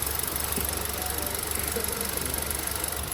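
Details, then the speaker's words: Car engine after timing chain refit with timing marks aligned at TDC and tensioner re-tensioned: steady even idle, smooth low hum, no ticking or slapping from the front; timing chain noise resolved, normal idle. "Finally य problem solve हो चुकी है आप देख सकते हो engine का noise बिल्कुल भी नहीं है जी पर नहीं है वेरी गुड सुपर"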